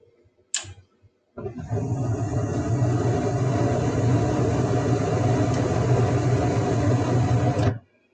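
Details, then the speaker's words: Mid-efficiency gas furnace during its ignition sequence: a gas-valve click, then the burners light with a steady roar for about six seconds and cut dead as the flame sensor reports no flame. Flame sensor failure, ignition lockout; the system retries up to three times. "all right so it lit the computer was looking for a sensor that sensor said there is no flame on this side better shut it down"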